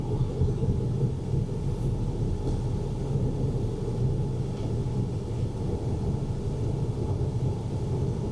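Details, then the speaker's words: 2000 Honda Civic automatic, D16Y7, 210,000 miles, driving after MAP sensor replacement and wiring connector repair: even steady engine drone under road noise, no stumble or misfire, pulling smoothly. "Like I said, I can't really drive it with that much throttle, but it's running perfect or as as best as it can with uh 210,000 miles. But uh yeah, this is uh this is doing well."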